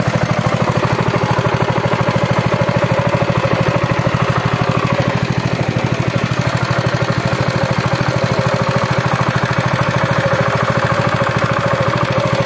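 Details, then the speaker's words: Honda GX200 stationary engine for a rice thresher, hard to start with no compression on the pull: after cylinder head gasket replacement it runs with a quick, even single-cylinder beat, no misses or knocks. "Nó cũng trơn tru và bình thường trở lại và đó là cách để giải quyết vấn đề này"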